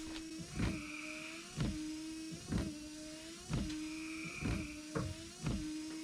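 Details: 1993 Ford F-150 after wiper motor replacement, first test on low speed: even motor whine with a soft thump at each sweep reversal, roughly one cycle a second, smooth and regular; new wiper motor working normally.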